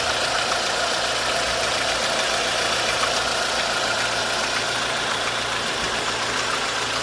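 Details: 1.4 16V engine at steady idle with loose, uneven knocking about 3–4 per second; timing chain tensioner checked and a belt removed, knock unchanged. Cause undetermined.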